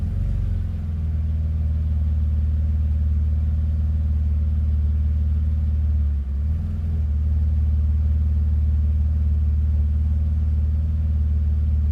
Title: BMW Z3 cold rough idle